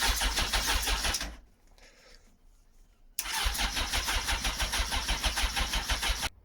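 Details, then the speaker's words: Motorcycle engine not started in a long while, choke on, fuel primed and tank topped up: two bursts of rapid even starter churning, about three turns a second, with no firing; cranks but won't start, plugs possibly needing cleaning. "Yeah, I'm making a bit of heavy work of this, actually, guys. It didn't really quite start up the way that I wanted to."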